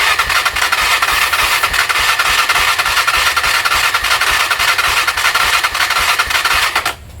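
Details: Honda TRX300EX quad single-cylinder: runs rough and hissy with uneven firing before cutting out; lean, fuel-starved carburetor suspected, not confirmed.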